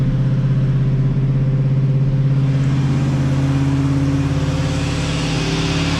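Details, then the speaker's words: 1986 Oldsmobile Cutlass 442 V8 just after installing a rebuilt eBay Quadrajet carburetor that cured rough idle: deep smooth run with a steady even beat, no misses, idle settling down to where it should be over a few seconds; healthy. "Thing is good so far. I'm impressed. Idle came right down to where it should be."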